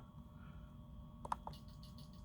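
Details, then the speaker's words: Injector test via TunerStudio, all but one injector disconnected, engine not running: a few sharp clicks, then quick, even ticking about seven a second over a quiet room; the injector is triggering and firing properly. "I can hear clicking so I'm gonna stop it"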